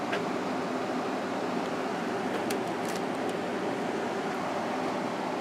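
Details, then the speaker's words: Emerson Quiet Kool window air conditioner after replacing its fan motor with a GE motor from a Kenmore unit, running on medium and low: even, steady rush of air with no rattle, squeal or grinding; normal fan motor running. "yeah it's running nice and quiet now medium and low"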